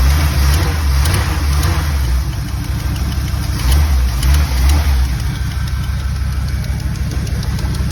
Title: Don’t worry about the ticking sound